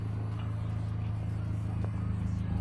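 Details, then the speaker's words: Low, uneven lumpy idle that wavers on an Opel Kadett GSI 2-litre 16v just after a new exhaust tip was fitted; engine struggling to hold steady idle, cause unknown. "I don't know, for some reason today the car's struggling to idle."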